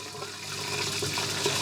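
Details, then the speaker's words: Samsung front-load washing machine found at the dump, after clearing a major clog in the drain pump and the hose from the bowl to the pump: strong, even gush of water pouring out freely, drain flowing clear, pump working, no replacement needed. "oh that sounding good that is sounding good let's have a look oh look at that fixed it"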